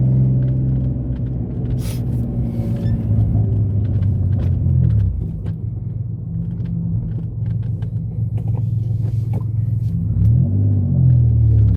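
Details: Mitsubishi 3000GT SOHC with gutted catalytic converters, previously falling flat around 4,500-5,000 rpm. Deep steady engine drone climbs and pulls cleanly with no stumble or flat spot at the top of the rev range.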